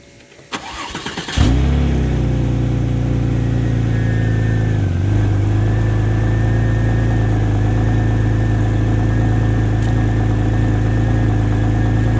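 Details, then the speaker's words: X50 turbo car, cold start after two or three days sitting: engine catches and settles into fast steady cold idle with thin constant whine from the secondary air pump running normally during warm-up. "so you can hear the uh hear the air pump keep on"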